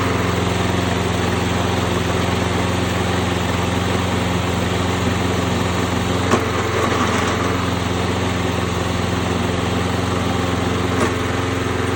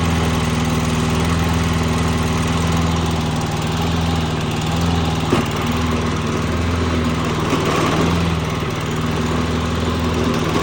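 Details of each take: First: Toro Recycler push mower that had been surging, after carburetor clean: small engine holds a steady, even pitch about twelve seconds without hunting or surging, then winds down; running good, normal steady running. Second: Toro Recycler push lawn mower, small single-cylinder engine: the drone swells and eases every second or two instead of holding steady; engine surging, cause not confirmed.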